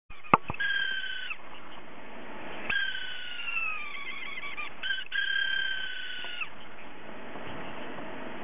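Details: Hard drive whose spindle motor bearing has gone bad so it can't spin properly; quiet hum broken by high wavering squeals rising and falling like a meowing cat, spindle bearing failure.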